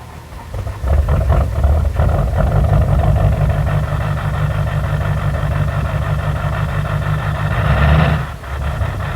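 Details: 2005 Duramax LLY diesel truck, cold start after long sitting on weak batteries: rough idle clatter with a heavy uneven low knock; cause unknown, compression test later suggests the engine needs replacing.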